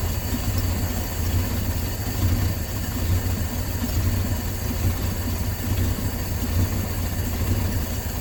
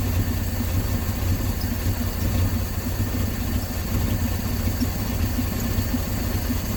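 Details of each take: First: 1968 Dodge C600 V8 shop truck, back running after nearly a year, timing light tachometer on a plug lead reading about 420 rpm; deep, slow, even rumble, smooth very low idle during carburetor idle-mixture screw adjustment. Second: 1968 Dodge C600 shop truck, not run in nearly a year, fitted with an electric fuel pump, with a vacuum line left unattached at the back of the carburetor; it idles low and lumpy and wanders, from the unmetered vacuum leak.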